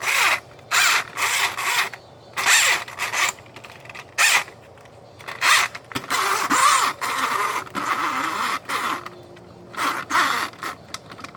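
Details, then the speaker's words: Older Polaris 380 after replacing bearings, drive train and belts: repeated sub-second bursts of high grating whir from the drive gears; owner suspects the new gears are not yet bedded in, cause unconfirmed. "Usually doesn't make that noise, but I'm thinking it's just because all this is new. Yeah, I really just think it's because these gears and stuff are new. It's making that winding noise."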